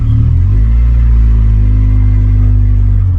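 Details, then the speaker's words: Honda CRX Si on its first drive after oil change and fuel filter replacement: loud, deep booming exhaust rumble, louder than stock, from a hole in the muffler awaiting replacement. "it is a little loud still because the muffler does have a hole in it but i'm still waiting for my new muffler to come in"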